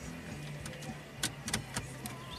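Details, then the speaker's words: VW with start-stall complaint, fuel pump key-on prime after pressure relief: faint steady low electric hum under light clicks, building pressure normally; current previously only 5 amps, expected near 10 if pumping well. "And there's no more. You can actually hear the pump. Yeah. It's like. It sounds different. It builds."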